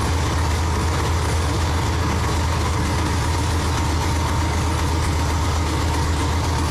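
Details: Freshly built forged 6.0L V8 with LSA supercharger for a 1969 Chevelle, first start: deep, steady low rumble with an even beat and no knocks or rattles; idling smoothly and healthy.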